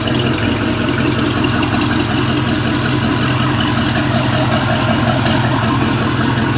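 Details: 350 Mag MPI marine engine's first start after rebuild, idle only: steady, even idle with smooth rumble, no knocks, misses or rattles; healthy idle.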